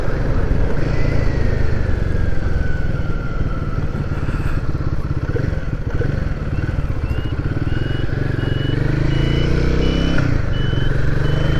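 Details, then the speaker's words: Royal Enfield Guerrilla 450 riding, indicator buzzer relocated from under the seat to behind the speedo on the screen bracket; clear high beep about twice a second over single-cylinder engine and road rumble, heard plainly by rider; buzzer working normally. "Yeah, I can hear that quite plainly. Like I say, I don't know if the mic's picking it up."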